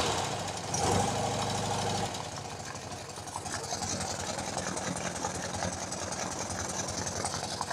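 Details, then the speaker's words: BMW R90/6 Airhead boxer after top-end reseal with one valve and guide replaced, cold start, choke just taken off: light fast ticking over idle, about three per second; top-end tick, source still unknown, owner suspects loose valve guide. "so cold I just took the choke off and there's the ticking again"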